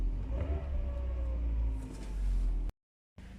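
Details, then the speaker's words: 1999 Mercedes SLK 200 R170 after a throttle body clean that cured rough, surging idle; low, even idle holding steady at about 800 rpm with no hunting, fuel pump faintly audible; normal idle. "she is we're idling nicely in about 800 rpm which should be the prescribed idle speed for this engine she's not searching anymore she's not over under revving"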